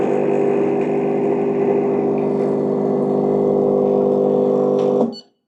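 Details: Gemilai 3007Z espresso machine, flow control at its unadjusted factory setting, pump run about ten seconds giving about 40 ml per 10 s (4 ml/s). A loud, steady buzzing hum at one fixed pitch, then a clean cutoff. Vibration pump running normally.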